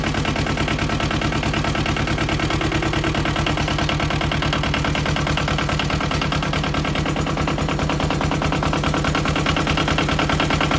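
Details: Yanmar 1700 diesel just after swapping a clogged old muffler (rattled like sand or rust inside) blamed for lack of power: steady, even idle chug with regular firing and no misses or knocks; it runs healthy now.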